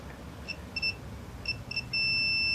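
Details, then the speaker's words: Nissan Navara D40 transfer case 4WD sensor switch under continuity test: no continuity when extended, then the tester tone breaks into about four choppy beeps before holding steady when pushed down; intermittent contact, faulty switch causing 4WD light while driving. "And as you can see, we got no continuity when the switch is extended. And we push it down. We got a very broken signal."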